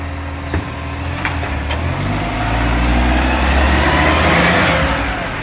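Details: Diesel truck (NAWMA FOGO 3520) pulling away, engine rumble with sharp raspy puffing; suspected exhaust leak, not confirmed.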